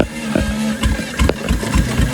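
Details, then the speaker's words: 1932 DeSoto barn find fitted with a 70+ year old Dodge 230 flathead six: low, even idle beat with no knocks or misses; engine ran great, though a crack was later found when pulled apart for paint. "And unfortunately, that's where the great stuff ends because we got it running. It ran great."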